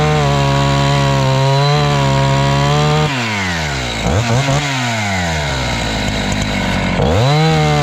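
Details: Husqvarna 268 chainsaw, after repair work for a complaint that it stalls once warm and won't restart (air intake checked, a part replaced): clean steady high buzz, pitch dips and recovers while cutting wood without stalling; runs healthy.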